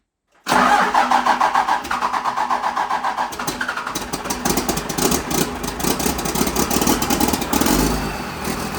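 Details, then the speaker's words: Dodge Power Wagon with swapped lower-mileage Cummins diesel, first start: fires at once, then idles with uneven lumpy pulse and clattery stumbles, sounds like a miss; owner suspects air still in the fuel system; rough idle. "Starts. Doesn't exactly sound great. Sounds like it's missing on the solver."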